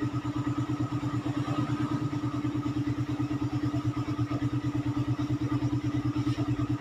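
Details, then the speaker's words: Raider 150 single-cylinder after valve clearance adjustment and head refresh for hard starting, cold start: steady thump about three beats a second, no tapping or stumbling; normal idle, no longer hard starting. "so Ayun umandar na siya So Col start so hindi naman gaano ka hard starting Okay na siya"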